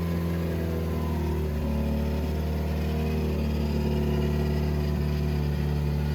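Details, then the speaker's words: 2007 Subaru WRX swapped to an STI engine, cam timing initially thought to be set about 90 degrees off, after running 2500–3000 rpm for 15 minutes to break in: smooth, even low drone, no knocks or ticks. Normal running. "so we ran it at like 25 3000 rpm for about 15 minutes to break it in and as you can hear right now it's running pretty smooth"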